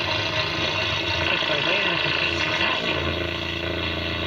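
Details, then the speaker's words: 1938 DeForest 7D832 tube receiver after restoration, ground opened with only an antenna hot lead attached, unshielded: steady harsh buzz with drifting whistles, switch-mode power supply noise pickup that clears once the shield is grounded. "remember i told you if uh you have just two wires and you have just just an antenna wire hooked up how i'll pick up switch mode noise"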